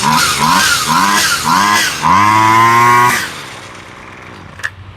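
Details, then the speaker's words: Husqvarna 128LD two-stroke trimmer after carburetor rebuild and ultrasonic cleaning, started on full choke then choke off; blips up and down a few times, then drops to a quiet, even idle with no hunting or stalling. "Sounds really good. It's idling nice and steady."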